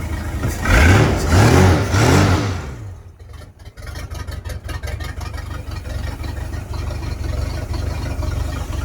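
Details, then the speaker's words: Engine with milky residue, crankcase vents unplugged as it shot water into the carburetor; suspected crack: sharp rev dies down into a steady, even idle with regular firing pulses, no knocks; sounds normal. "Sounds pretty good, I must say. So I'm working with some real good bones."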